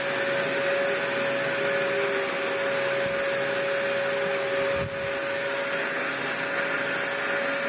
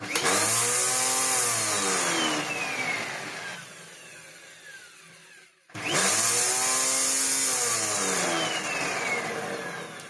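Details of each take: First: Steady high-pitched motor whine and constant airflow rush, no grinding or rattling, from a 1998 Dyson DC01 (about 25 years old) after new parts and refitting the original base plate inner; running normally, pivoting smoothly. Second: Dyson DC01 upright vacuum after repair and new parts: harsh, high whirring rattle over the motor run-up that eases once the machine is laid down; noise comes from the brush roll, noisy brush roll.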